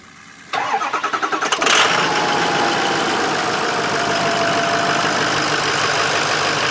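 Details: Ford Powerstroke diesel after boost tube boot (torn) replacement: about a second of rapid cranking, catches with a rev, settles to steady even idle; started to check for boost leaks.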